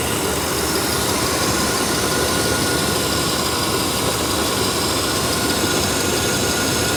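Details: 1993 Chevy 1500 OBS pickup V8 started after sitting 16 years, new battery fitted: steady, even idle with a smooth low rumble and no knocks or misses, smoking from mystery oil added. Normal idle.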